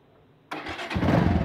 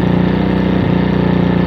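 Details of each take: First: Bajaj Avenger Cruiser 220 carbureted motorcycle, 2400 km, that sat two months without fuel: it fires up and settles into a smooth, steady idle with no popping or hunting, though a clogged main jet and emulsion tube are suspected of causing uneven running when accelerated. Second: pero si la mantenemos un poco acelerada se ven las variaciones del motor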